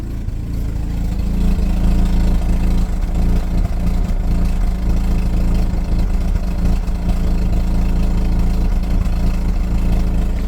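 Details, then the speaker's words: Mazda RX-8 rotary at idle, heard at the exhaust after the MAF sensor was unplugged and reconnected: loud, low, uneven, stumbling beat of a misfire. A faulty MAF is suspected, and cleaning it did not help. "You can kind of hear the misfire in there. It's not good."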